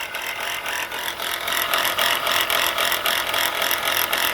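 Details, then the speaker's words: Car idling with a fast dry rattling grind, about three or four beats a second; alternator bearing appears shot, with brown residue around it and the pulley possibly wobbling; worn alternator bearing. "look like the alternator bearing is shot and based on the appearance of Scottish brown stuff around in this area it's got that pulley bouncing around very well could be"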